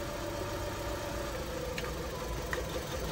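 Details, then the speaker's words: Honda Civic 1.7, 2001–2006 model, misfiring with no check-engine light: with the fourth cylinder suspect and the third cylinder's plug cap pulled, the uneven idle gets clearly worse, lumpy and stumbling with faint irregular knocks, before the coils are swapped between positions. "tu viu como o carro piorou E olha como que o carro piorou"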